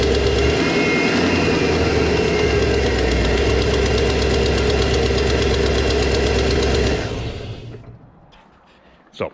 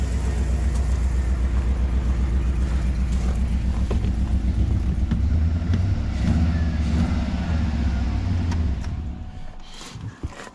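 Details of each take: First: GM LS V8 truck, cold start at idle: sharp steady tick about four a second from an exhaust manifold leak that worsened recently, nearly disappearing as the engine warms and the metal expands, before installing repair brackets. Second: GM LS V8 truck idling after an exhaust manifold leak repair bracket was installed: deep even rumble with no manifold tick, running smoothly until shut off.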